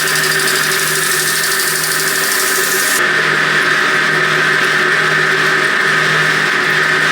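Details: Motor on a 100-year-old forging power hammer, rebuilt with a newly fitted motor starter, run to clean the motor pulley: spins up and holds a steady hum, clean high tone and light even beat, no grinding; healthy.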